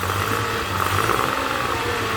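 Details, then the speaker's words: Honda 30 outboard after repair, carburetors cleaned: steady even idle, no knocks, cooling and thermostat working; running normally. "And so it works without noise, everything is fine, no knocks, the lower unit has been"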